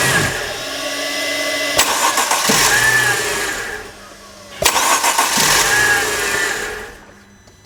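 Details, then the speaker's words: Mercedes with a no-crank-when-hot complaint, engine cold: two quick cranks, each catching cleanly into a steady idle before shutdown; no problem cold, as the customer reported, before warming up to test hot. "as you could see absolutely no problem when this engine is cold just like the customer told us"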